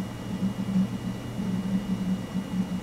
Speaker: listen to that hard drive noise sounds more like it's thumping than clicking that's the coffeepot noise I was talking about